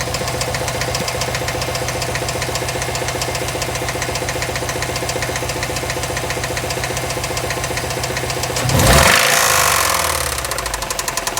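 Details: 2008 Subaru STI idling with a steady, sharp knock of about four beats a second: engine knocking at idle.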